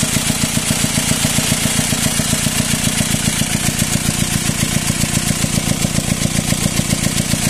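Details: Car swapped from a six- to a four-cylinder engine; after the timing chain broke and the engine was removed and refitted, idle is loud and rough: coarse chuffing about four beats a second with clattery edge from intake side; air in hoses suspected.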